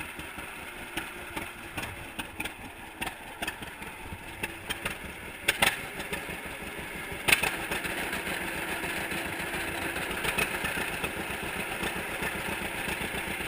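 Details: 1942 John Deere Unstyled A two-cylinder tractor, first start after freeing a stuck engine and fitting new spark plug wires: slow, uneven popping, about one pop every couple of seconds, steady and strong; running well.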